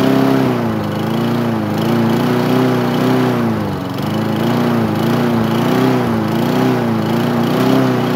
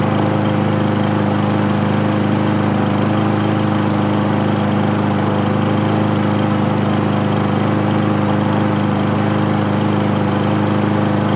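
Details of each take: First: Craftsman lawn mower single-cylinder engine, first start after nine months sitting; steady drone with gentle rise and fall in pitch, no misses or knocks, running normally. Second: Craftsman lawn mower, first start after 9 months of storage: small single-cylinder engine running at a fast, even chug, slightly uneven, smoking heavily as expected; owner says it needs an air filter.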